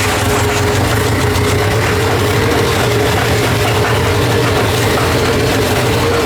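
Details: Nissan S15 project car being revived after fuel-system work, with power confirmed at the fuel pump: a loud steady idle with an uneven, lumpy low throb, misfiring and not running on all four cylinders.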